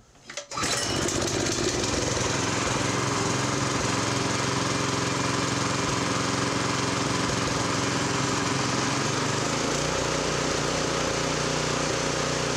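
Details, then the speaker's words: Honda F501 tiller with new offshore GX clone replacement engine, no load, after drilling open the pilot jet to fix lean surge; fires and settles into even steady run at 3600 rpm, no hunting. "that's a lot smoother don't do the Huns anymore check the attack 3 600 right on the money"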